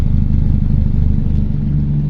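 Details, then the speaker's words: 2010 Honda Civic, never fitted with gas, heard from the rear at the exhaust: soft, even low burble at idle, steady with no rasp or popping; normal quiet exhaust note. "ครับตอนนี้ผมติดเครื่องอยู่นะครับคุณลูกค้าเครื่องเงียบๆนะครับคุณลูกค้า"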